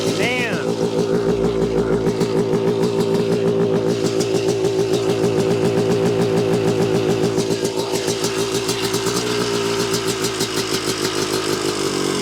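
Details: 1986 Yamaha YZ250 two-stroke, sat since 2015, good compression, started on choke with a borrowed carb and throttle and cleaned reeds: crisp even crackle picking up cleanly on each blip and settling back steadily; healthy idle and revving.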